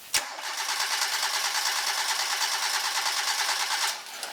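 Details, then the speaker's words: 4-cylinder car starter current test, fuel or ignition disabled for 10-second crank: even steady cranking, about three compression pulses per second, no firing; 140 A spike settling to about 80 A, within expected 80–100 A. Healthy starter. "So I spiked up to 140 when I first turned the key on, but the quickly came down to about 80 amps on constant cranking. I would normally expect on this starter to be pulling right around 80 to 100 amps."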